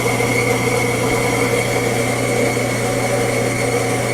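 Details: Fetco coffee bean grinder during calibration check, grinding about 7.5–8 oz of beans: steady motor hum with even gritty grinding rush, no knocking or labouring; grinder running normally.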